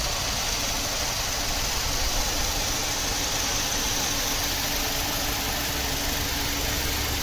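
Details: 2002 Saturn LW200 with 112,688 miles at idle: a busy, hissy background, and the engine seems to stumble now and then rather than run perfectly even, pointing to a random misfire.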